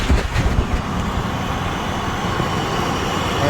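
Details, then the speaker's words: 1999 Chevy Astro AWD, 4.3 V6, idling right after new aluminum radiator, hoses, thermostat, flush and secondary trans cooler install: steady smooth low rumble, no squeal or ticking, no drips; healthy idle. "looks good sounds smooth yeah definitely need more fluid in there but as we can see below nothing's dripping that's a great sign nothing's squealing it's another great sign"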